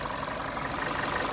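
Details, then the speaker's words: 2014 Chevy Cruze petrol engine idling while warming to operating temperature after the disconnected cylinder 4 injector harness was reconnected: steady, even idle with no misfire, normal. "so we hooked it back up it's not missing no more only code we got left is the crank position learn"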